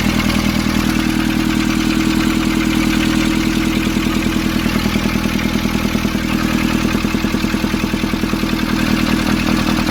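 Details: Nissan Urvan ZD30 diesel, after a no-start repair in which a soot-clogged part was cleaned and refitted: even clatter at about 200 beats a minute, smooth and steady, no misses; idling healthy.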